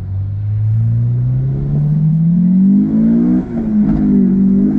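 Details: Honda S2000 after oil-soaked spark plug wells fixed with new gaskets, cured high-rpm misfire: clean, even rev climbing smoothly in pitch with no stumble or break-up at the top, hitting VTEC again; normal revving.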